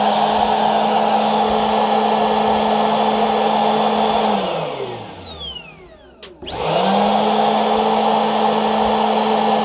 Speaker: So, this is how a normal secondary air injection pump motor should sound like. It should sound kind of like a vacuum cleaner.